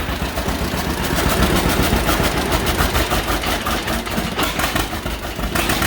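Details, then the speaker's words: 1951 John Deere Model A, first run after about 30 years, on booster, oil pressure showing, no coolant: loose uneven two-cylinder putt settling to a low idle on initial settings, no knocking; running normally. "look at that low idle just on initial settings"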